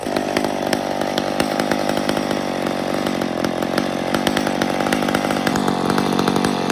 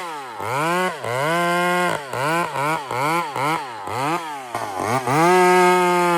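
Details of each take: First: Older chainsaw at wide-open throttle: revs to a thin, sharp scream even after the high-speed jet was richened from its starting setting; high-speed mixture still lean. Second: Chainsaw running: crisp throttle blips climb cleanly to a strong, steady top scream and drop back without bogging, smooth; healthy chainsaw running.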